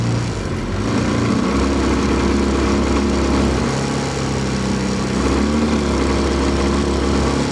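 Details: 15 HP four-stroke outboard, warmed up after about five minutes, fuel pump rewired with a 10 A fuse: fairly high steady buzz with an uneven, stumbling beat. Fine at lower rpm, misses when more throttle is added. Misfire under load.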